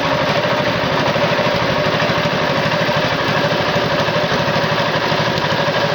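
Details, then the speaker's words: Tow-behind flail mower's Wisconsin TJD 20 hp inline two-cylinder engine, battery iffy, test-cut grass fine: steady, even thrum at a quick constant beat, no misses or knocks; running healthy. "is a flail mower powered by a wisconsin tjd 20 horsepower inline two cylinder engine"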